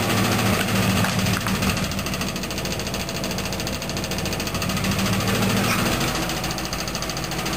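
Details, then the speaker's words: Old Plymouth after a light engine rebuild with pistons and cam unchanged, idling in park: light, regular tick of three to four a second that seems to come from the oil pan; gone in reverse, drive and neutral. "This is how the engine sounds like after you put it in. You can hear a ticking sound."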